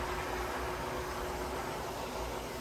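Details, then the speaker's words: Samsung WA50M7450 top-load washer, bought 2017, about four years old, after replacing the drain pump that made a loud grinding noise while draining (SC error): steady low hum, faint constant tone, water rush, no grinding; new pump drains normally. "there goes pumping again sounding good"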